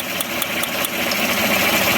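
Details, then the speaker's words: Idling engine with sharp crackling ticks about five a second over a hissy idle that fade after a second; it sounds like coil arcing, with little misfire. A plug wire was off the number one coil and arcing. "but it sounds to me like an arcing noise you know like a coil but it really doesn't have much of a misfire"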